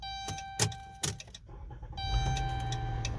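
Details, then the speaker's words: Chrysler/Dodge Grand Caravan that only starts sometimes, key turned; two sharp single clicks about half a second apart, then faint hum and no cranking; starter click, no crank, bad starter suspected if power reaches it, codes not yet scanned. "but a guy a click is you can a mechanical under the assumption that power is getting to the starter"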